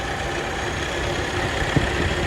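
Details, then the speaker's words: Toyota RAV4 petrol engine idling with a little throttle: a faint steady high whine from the alternator; the owner had suspected the battery. "Oye ese sonido que hace el alternador"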